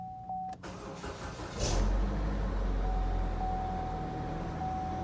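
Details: Chevrolet Equinox first start after timing repair and months sitting, check engine light on from earlier limp mode: chime, brief crank, then catches and settles into steady even idle with no misfire or knock; starts and runs fine.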